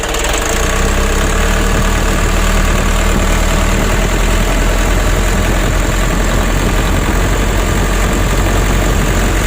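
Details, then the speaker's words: Warm Mitsubishi Ragasa 120 PS diesel truck engine runs lumpy and shakes from light to half throttle, smooth at high throttle; worse when hot or after long trips; nozzles, Bosch injection pump and plungers to be serviced. "dari mulai kita gas awal Gas sampai separuh itu guncang teman-teman kita matikan dulu kalau mesin sudah mulai panas ya Apalagi sudah dibawa perjalanan jauh itu guncangan mesin semakin parah"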